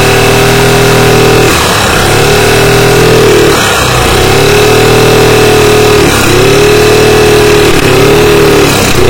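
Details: Carbureted Yamaha Mio scooter that revs but won't pull and runs noisy. A coarse, rattly note with harsh mechanical chatter under repeated throttle blips; the camshaft lobes were found worn, with very excessive valve clearance.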